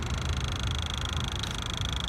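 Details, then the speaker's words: 2006 Ford Mustang 4.0 V6 with intermittent stalling/no-start, key on, engine off, PCM diode replaced with AC compressor diode: steady high-pitched electrical whine over faint rumble; throttle body buzzing, thought due to missing relay, stopped once relay installed. "you can hear what sounds like I believe the throttle body yeah the throttle body is now making the noise I think actually because there's no relay in the circuit"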